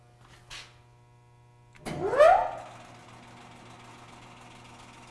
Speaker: quiet it's weird well I would call that a success The Machine's on I can barely hear it